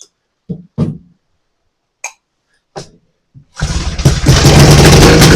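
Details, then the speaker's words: Vintage AMF snowmobile, stored since last spring, on its cold first start of the season: a few sharp pull-start coughs, then the two-stroke catches and settles into a steady crackling run; starts cleanly. "Well, I'm fired right up. And sounds like she's going to run. She wants to go."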